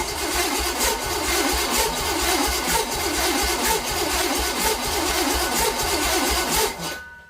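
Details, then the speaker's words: Small-block Chevy 350 cranking with one spark plug removed and a finger over the hole while finding top dead center: starter whirs about four beats a second with a galloping lope from that cylinder's compression stroke. "you could hear it with that gallop being that the cylinders uh the plugs out this is the dead cylinder as you hear it cranking you can hear that gallop that's when it's pushing my finger"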